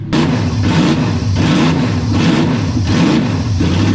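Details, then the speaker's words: Used, abused Toyota 1UZ-FE V8 bench-started with open headers once fuel pressure came up; barks through repeated blips, deep rumble rising and falling evenly with throttle; runs strong and sounds healthy. "so now we have fuel pressure it it runs man I love this [ __ ] and it sounds cool as hell"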